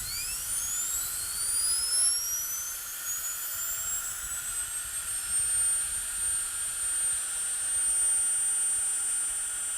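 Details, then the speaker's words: Air-powered spindle grinder for tool post or milling use, run at about 50 psi from its built-in regulator; clean whistle climbs steadily in pitch and holds high and even, quieter than expected, with very smooth bearings. "it's nowhere near as loud as you might think it would be"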